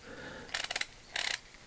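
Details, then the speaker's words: Vintage Proto 5247 3/8" drive ratchet adapter after teardown and reassembly: quick bursts of sharp metallic clicks; it still ratchets and switches but won't hold torque because a pin is worn. Worn ratchet pawl. "surprisingly it's still ratcheting but it's not going to hold any torque you hear how that sounds very not so good"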